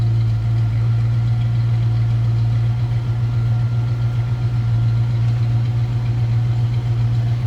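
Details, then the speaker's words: 1965 Ford Mustang convertible, 289 V8 at idle just after start: smooth, steady burble with an even low rumble, no ticks or misses; runs clean and healthy. Normal idle. "Not only looks good, sounds good."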